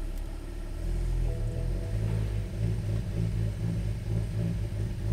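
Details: 2013 BMW 3 Series F30 N55, after fixing hard start and stalling (codes 1F1A91, 119404): petrol engine rough idle with code 101F01, deep uneven throb that wavers and pulses; possible fuel system issue suspected.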